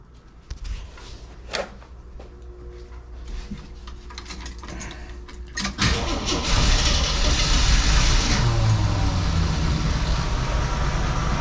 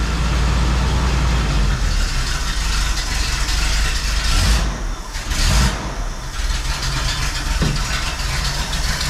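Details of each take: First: 1981 Jeep CJ7 with new carburetor, started after a few days with choke opened: catches near six seconds and settles into a quiet, steady idle about 600 rpm; carb still needs tuning. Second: 1981 Jeep CJ7 with newly replaced carburetor, first start after sitting a few weeks: catches and runs unevenly with a ragged low rumble nearly dying; owner suspects multiple vacuum leaks or idle mixture screws needing adjustment.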